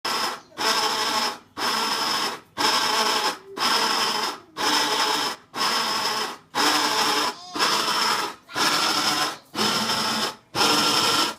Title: Whirlpool Cabrio Washing Machine Making Noise